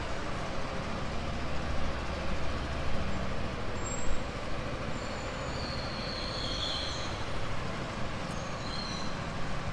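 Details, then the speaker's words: Yamaha XMax 300 scooter at idle after cylinder, piston and ring replacement: steady, even single-cylinder beat, firm and settled with no knocking or rattling; normal idle after repair. "เดี๋ยวมาดูฟังเสียงกันม.คมีเสียงแน่นเหมือนเดิมแล้วนะครับ"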